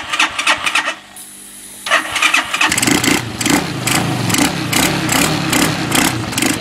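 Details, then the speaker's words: Bashan 200cc, only starts with easy start spray, dirty carburetor suspected: starter whirs, engine catches, runs unevenly with ragged firing for a few seconds then cuts out; starts then stalls. "we try to on it one and then if we put easy start on it it starts but then cuts out start in start it and then it coms out again not"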